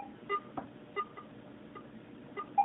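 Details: Garrett AT-Pro metal detector air test, copper penny at 10 inches from the coil, reading about 72 near the depth limit. Faint, short mid-pitched beeps, a few over three seconds in a quiet room: the detector still cleanly answering the coin.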